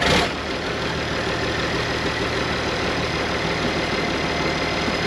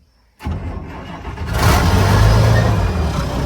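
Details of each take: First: Abandoned IH 4166 tractor diesel, sat since about 2015-2016, running after moving it in reverse: steady clatter with slightly wavering idle speed; owner says the pump is fluttering and suspects the injection pump is failing. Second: Abandoned IH 4166 tractor diesel, sat since about 2015-2016, battery installed, oil and coolant full, cold start: brief crank, catches within a second, settles into deep even rumble; left to warm up.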